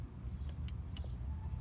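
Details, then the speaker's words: 1991 VW Vanagon 2.1 L water-cooled boxer, throttle switch under throttle body on intake manifold, just adjusted so it clicks correctly: two crisp light clicks over low idle rumble as throttle moves; normal throttle switch click. "there's a way to adjust the throttle body play let me see if you can hear it's supposed to click a certain way"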